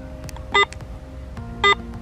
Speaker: Sentite questo beep e vediamo che si sono accesi i LED qui sul display.